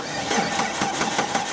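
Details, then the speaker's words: 2004 Jeep Grand Cherokee no-start, cranked during crank and cam sensor testing on a jump pack: sluggish cranking at about five even compression pulses a second with no catch; the jump pack battery is dying. "battery's dying can't do it it's time for a new jump pack"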